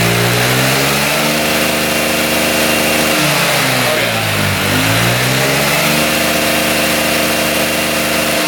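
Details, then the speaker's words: 2006 Honda Metropolitan two-stroke scooter (also listed as 2007) after swapping in a Honda Ruckus carburetor: the engine revs rise and fall smoothly without bogging or misfire and rev out completely; normal revving. "[Applause] Car has to get filled up with gas. [Applause] That definitely sounds better."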